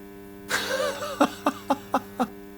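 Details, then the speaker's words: Onkyo AV receiver after full recap of a board, powered on: steady low buzzing hum under taps and a laugh, unchanged; mains hum still present after the recap, cause unknown. "So, that had to be done. But the buzzing noise is still there."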